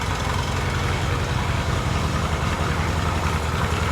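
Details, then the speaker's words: 1978 Yamaha XS650 twin at idle just after waking from winter storage, running on both cylinders; lumpy idle with a light clatter on each beat; top-end ticking suspected at the valves, adjustment considered, not confirmed. "It's making a little bit of racket. Sounds like it's on the valve. We could adjust the valves and see."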